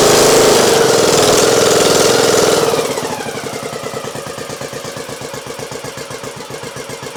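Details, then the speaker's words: Craftsman YT 3000 lawn tractor with Nikki carburetor after flooding: cranks, catches with a high rev, then a steady even idle; hard starting needed the fuel fully off and it didn't want choke, owner suspects the carburetor flooding. "all right there's idle so it is idling but I don't like I don't like the way it was starting"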